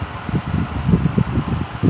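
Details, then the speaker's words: 1950s Wizard hassock fan, just unboxed: low fluttering whoosh pulsing several times a second with a rough undertone; suspected worn motor bearings, slightly seized on low speed and coasts to a stop quickly. "let's knock down the video and as you can hear it does have a little noise to it sounds like bear it sounds like bearing noise"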